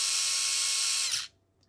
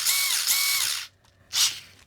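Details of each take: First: Furitek Grasshopper brushless sensored system in Losi Micro-B, firmware 1.6, just after ESC throttle calibration; steady high-pitched whine then sharp cutoff, motor spins freely but still faster in reverse than forward, cause unknown. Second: Furitek Grasshopper brushless sensored ESC/motor in Losi Micro-B after firmware 1.6 update, reverse limited to 50% (about 680 forward, 500 reverse on telemetry); sharp high whine spinning up then two short bursts, clean, no rattle, ballistically fast.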